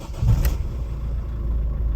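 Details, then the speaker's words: Ford Focus Mk2 after fixing a no-crank, immobiliser PATS 16 fault (CAN bus checked at about 60 ohms across OBD pins 6 and 14): a brief crank catches straight away into a steady, even idle; the car starts normally. "Samochód pali normalnie."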